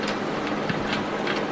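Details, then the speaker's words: Yamaha Vega (Crypton) engine during rebuild, turned slowly by hand: sharp uneven clicks every few tenths of a second from inside, cause not pinned down, expected to cause trouble later. "ini untuk suaranya masih ada keletak-keletuk ya cuy ini juga akan jadi masalah nantinya"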